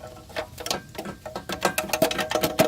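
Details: 2007 Nissan Altima: loose, tinny metallic rattle in uneven bursts from the exhaust manifold cover, whose mounts had separated; rattling heat shield, fixed by replacing the cover (10 mm bolts).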